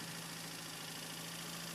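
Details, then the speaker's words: 2000 Mitsubishi Lancer, 1.8 4G93 GDI petrol, 150,000+ km, warmed to operating temperature, before additive treatment; idle with a fast, light ticking over a steady hum from a noisy hydraulic lifter. "сейчас мы продемонстрируем что на горячую также гидрокомпенсатор стучит Я думаю слышно очень хорошо"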